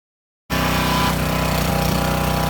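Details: Lidl Parkside PHDB 4 C3 petrol four-stroke 180-bar pressure washer cleaning a stained yard area: steady, even drone with fast uniform beat and constant spray hiss, a bit loud; normal running under load.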